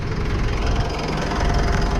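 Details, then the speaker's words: 2015 Mitsubishi Pajero Sport Dakar 2.5 VGT turbo diesel, automatic, 83,000 km, engine bay: the warm idle has a deep, even clatter and steady rhythm with nothing irregular; no blow-by smoke at the dipstick. "Suaranya bro ya, suaranya khas."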